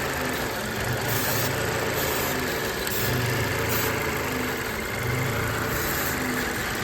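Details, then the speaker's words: 2014 Mazda 6 four-cylinder with code P0171 system too lean bank 1, stalling: uneven lumpy idle surging every couple of seconds; unplugging the mass air flow sensor made it normal, so faulty MAF sensor. "When you went like the mass air flow sensor, the engine became uh normal. So the problem is our mass sensor."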